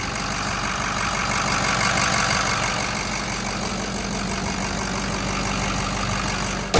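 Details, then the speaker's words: Ford 6.0 Powerstroke diesel pickup, about 72,000 miles, manual clutch, factory exhaust; fires right up and settles to an even, steady idle with smooth clatter, no misses, knocks or surging; healthy. "Gosh dang, guys, fires right up. Listen to this old girl just sit here and purr. Factory exhaust, so not too glorious"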